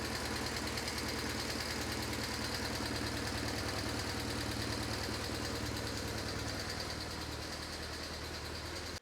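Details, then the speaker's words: BMW R1150GS boxer motorcycle at idle, left cylinder noisier than right; rapid, fairly even light tapping about three per second, RPM dependent, from loose valve clearance in the left cylinder valve train. "sharp tapping noise that's RPM dependent. So my guess it's the something in the valve train, but let's hope it's not something more serious."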